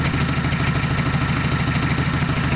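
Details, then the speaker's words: Mazda R2 diesel engine at steady, even idle with a smooth low clatter, no misses or knocks, right after starting. The glow plugs had been removed to crank fuel up to the injectors, then refitted; it is running normally. "siya mahirap paanda rin basta nakaakyat na yung diesel niya sa kanyang injector. Nating i-revolution kung may power ba ang makina. So sandali lang siya mag-response"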